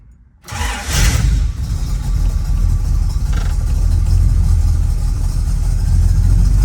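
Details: Pontiac Firebird (1968 or 1967 per sources) V8, TREMEC TKO 500 5-speed swap, electric fans, 150 A alternator, ran 180 degrees on test drive: brief crank, clean catch, strong steady V8 idle with light blips; normal start and rev.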